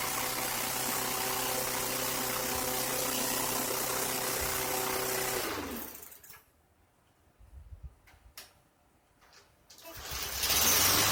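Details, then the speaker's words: 2023 Craftsman 11A-A2T2793 (M110) mower after seasonal service and refurbished spark plug, first cold start of season, started in two pulls: even steady running without surging or missing; normal running. "Slingshot engaged. Ah, 2 pulls. Sounds good. Smooth. No surging or missing."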